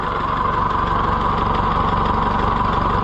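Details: Ferguson 30 tractor after new governor fitted: even steady idle with regular low chuff about three beats a second, no hunting or surging; engine runs sound, governor working.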